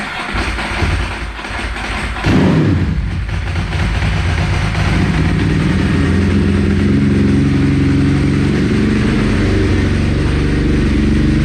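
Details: Ducati 999 twin, cold, on full choke after partial choke gave a backfire: lumpy, uneven idle after a rough catch, settling into a steady low throb. Normal cold idle on choke.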